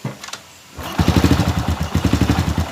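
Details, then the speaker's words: Honda Supra Fit New motorcycle after the loose cam chain was replaced, started before any oil was added; it settles into an even, steady idle with no harsh rattle from the left side of the engine. "Sebelumnya, bunyinya berisik sekali. Nah, sekarang sudah diperbaiki, kawan. Dan Anda bisa melihat perbedaannya, kan? Suaranya sekarang berbeda, kawan."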